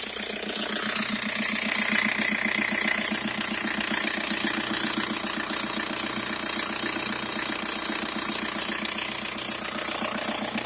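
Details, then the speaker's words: 2003 VW Jetta ALH TDI idling with the top timing belt cover off. Steady high-pitched oscillating chirp about twice a second at the front; not the serpentine belt, owner suspects the timing belt. Belt squeak. "wear the belts making that oscillating squeaking sound and post a comment be helpful if I get this done it's not the serpentine belt"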